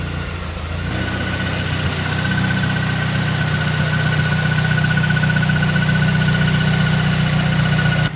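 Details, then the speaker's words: Mazdaspeed 3 after six years' storage, power steering reservoir (found empty) refilled with ATF; steady even petrol idle, rattle gone, faint constant high tone over engine hum. Normal smooth idle after fix. "My reservoir was completely empty, so I just topped that off. And that sound is gone. And this thing sounds super smooth."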